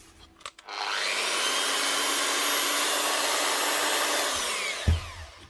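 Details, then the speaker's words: 240 V angle grinder fitted with new brushes but wrongly wired with a 110 V plug. A steady whirring whine then coast-down; it runs underpowered at about half power and speed because of the wrong supply voltage. "what does she run like h doesn't run well with a 110 plug 240 volt ritten here 240 volt machine that was never going to run right from day one"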